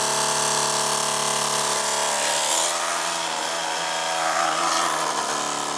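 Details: MSI GP66 Leopard laptop with RTX 3070, right fan loud after a few weeks of use: rough whirring with gritty rasp pulsing about four times a second; fan grinding, owner suspects faulty fan or loose blades, not confirmed.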